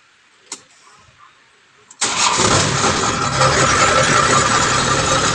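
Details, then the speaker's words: Kubota harvester after no-start troubleshooting and repair: diesel fires instantly after a brief quiet moment and holds a steady, even idle clatter; starts and runs normally. "So okay na mga idol. Ayos na. Umandar na siya."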